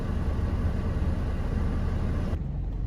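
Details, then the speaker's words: 2011 Ford Transit Connect after water pump replacement (whine likely from the bearing), heater on, warming to mid temperature: low even rumble, no stumble or misses, holding about 900 rpm; clean normal idle, previously stuttered. "this is the first time that since i've owned the damn thing that it's actually been purring like a goddamn kitten and on top of all of that my rpms are holding steady at about 900 rpms"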